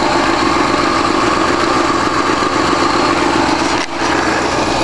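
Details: Smooth, even idle with a steady burble and brief dip, no ticks or knocks, from a 1965 Ford 352 V8 at start-up after an engine rebuild; normal idle.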